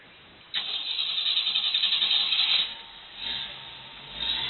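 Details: 1976 Jeep CJ7 warm start with good oil pressure and no overheating: quick crank catches at once and settles into a steady, even, purring idle with no racket; normal warm start.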